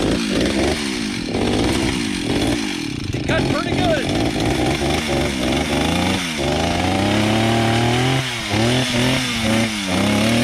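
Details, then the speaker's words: Stihl 031 AV two-stroke chainsaw from about 1974-76, unused five years, carb cleaned, chain freshly sharpened, cutting a fallen tree: screams to full revs, bogs slightly into wood and recovers cleanly; normal cutting under load. "alrighty let's see how it cuts Bill sharpened the blade up for us so we should be good there"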